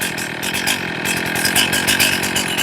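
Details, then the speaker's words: Warmed-up chainsaw after leaning the low-speed screw in, idle now about 2,800–2,900 rpm: crisp two-stroke buzz that rises and settles cleanly without bogging or surging. Normal idle and throttle response. "The throttle just stabilized out. 28, 29. Check my throttle response."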